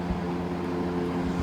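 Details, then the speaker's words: Vintage GE F12 W22 fan (corner-badge model, c.1966–67, 3 amp), after service, stepped up to high: strong steady rush of air, even motor hum, no knocking or scraping; normal healthy running. "And here's high. Some serious air moving with this thing."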